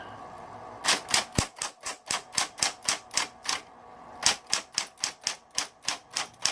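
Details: Smith Corona Coronet XL Coronamatic electric typewriter, switched on and humming. Crisp, sharp key strikes about four a second in even bursts with short pauses; normal typing.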